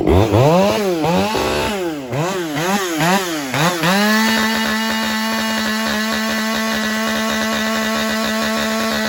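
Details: Husqvarna 572 autotune chainsaw, warmed up, wide-open throttle in a long rip cut: revs surge up and down in quick swoops for four seconds, then lock into a high steady scream as autotune recalibrates back to peak torque.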